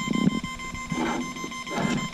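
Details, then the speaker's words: GoolRC 3500KV brushless motor and 60A ESC fitted to a Deerc 9200e 1:12 RC car: with the remote on, a steady, obnoxious fast high-pitched beep with louder pulses; the ESC's throttle neutral is not calibrated, fixed by centering the trims and settings. "everybody's getting this beeping right obnoxious fast red beep real quick"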